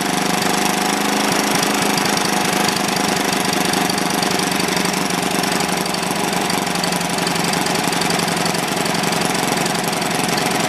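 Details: Old, worn Clinton B700-series single-cylinder engine (apparently model B704, possibly ex-rototiller), choke on, runs at a steady speed with a fast, even patter and no stumbling; running properly, a tad smoky.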